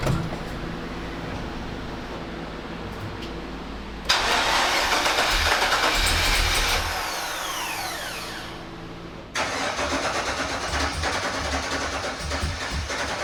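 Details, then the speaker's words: 1985 Monte Carlo SS with a cammed 6.0 L LS, sitting 5 years, first start after fuel system rebuild at about 58 psi: long crank, then it catches and runs rough with stumbling firing; misfire from stuck fuel injectors not firing, later freed. "But still no start. It wants to go.. Something is wrong. I suspect some injectors aren't firing."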